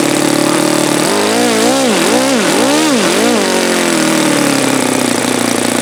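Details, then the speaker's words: Saito FA-72 four-stroke glow engine, first run, plastic-throttle-arm carb: high buzz surges and falls as fuel line is pinched; engine dies when it shouldn't, raw fuel spitting out, owner suspects carb problem or own setting. "Pinch it and it dies. Pinch it and it dies. It shouldn't die."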